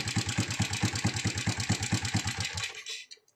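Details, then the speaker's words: Honda Supra X 125 idling with a loud engine clatter complaint: a loose metallic rattle in time with the engine from a slack cam chain. The cam chain tensioner vibrates and had been welded; turning it made the engine smooth only briefly. "oke di sini ini kan bergetar tuh seharusnya dia tidak bergetar ya ini ada kemungkinan ada kerusakan dalamnya"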